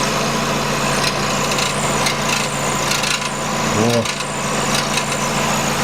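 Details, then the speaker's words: 2008 Nissan Qashqai 2.0 petrol, CVT, 4WD, 123,000 km, hot idle: constant dry whistling buzzing rattle like a cricket from underneath; rusted-through loose heat shield on exhaust resonator. "он такой звук неприятный свистящий дребезжащий он-то проходит увеличивается но данный момент он тише сейчас подниму автомобиль посмотрю что это такое я примерно предполагаю что это экран на глушителе"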